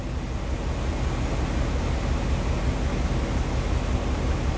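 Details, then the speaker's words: V8 at idle, unloaded, scan-tool misfire counter showing misfires on cylinders 5, 7 and 8: deep steady rumble broken by faint uneven stumbles; multiple misfires, one over the code-setting limit. "Can hear it misfiring, but this is staying pretty steady. I'm not going to load it up. But you can see you got multiple misfires."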